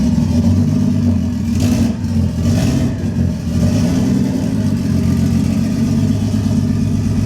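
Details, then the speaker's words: Toyota 1JZ-swapped Lexus IS300, first start after build; lumpy uneven low beat with one cylinder dropping out, caused by a failed coil pack, later replaced; misfire. "all right guys that initial start that you heard is great but it was actually with a failed coil pack"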